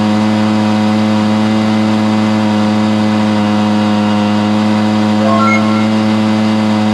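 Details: Stihl BR430 blower after the bogging fix: carburetor cleaned, then the high-side carb limiter adjusted. A steady high buzzing drone holds flat at full throttle with no bogging or surging, running healthy.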